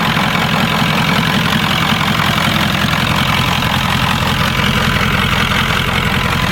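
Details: 1996 Ford F-350 7.3L Powerstroke diesel, first test start after converting from the mechanical lift pump to an electronic frame-mounted fuel pump and filters; regular diesel clatter at a steady idle with no stumbles; no leaks, normal idle.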